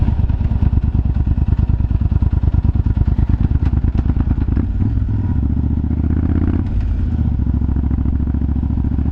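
Deep V-twin thump with irregular cracks and pops from the pipes as it runs and revs; exhaust popping, cause unclear.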